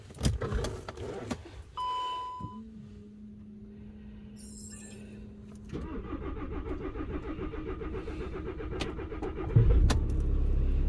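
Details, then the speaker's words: VW Crafter campervan diesel after head gasket top-end rebuild, cam timing advanced slightly to cure intermittent starting: keys, chime, starter whirs and engine fires straight away into an even idle clatter. "wow i didn't expect it to fire up straight away oh well that's that done"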